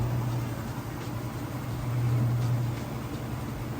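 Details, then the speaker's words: Kenmore direct-drive top-load washer on the final spin cycle, near full speed: a smooth, steady low hum with no thumping, grinding or imbalance banging. The spin is healthy. "And then we'll be into the final spin cycle, which is what I'll come back for next and show you that it's nice, fast, smooth, and sounds great. All right, just about full speed on the spin cycle now."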